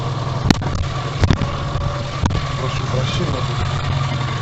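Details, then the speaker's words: Tavria pickup heard at steady low idle from underneath in a pit. The owner reports a scraping noise when pulling off and suspects the engine sits slightly higher against the carburetor-type resonator. The catalytic converter was removed long ago. Sharp metallic clicks and buzzes: heat shield rattling on the exhaust. "сейчас короче видать двигатель стал чуть выше вот и начал резонатор у меня карбовый резонатор обоссал этот инжекторный катализатор я выкинул давным-давно"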